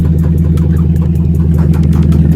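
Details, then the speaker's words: Chrysler 300 swapped with a 6.1 Hemi SRT8 V8 (about 20,000 engine miles, 189,000 on the car), first start, no exhaust or cold air intake fitted: deep, steady idle rumble with even beat, no knocks or misses; normal. "But anyway, man, as y'all can see, man, we got the car running, bro."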